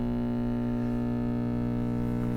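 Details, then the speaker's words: 1952 B.F. Goodrich SD 75 AM tube radio (GE Canada) on a slow power-up just under 100 volts, drawing about 30 watts, filament glowing. Loud, steady buzzing hum rich in overtones; the filter capacitor is open. "Oh, I can see a filament, and I can hear that filter capacitor is open."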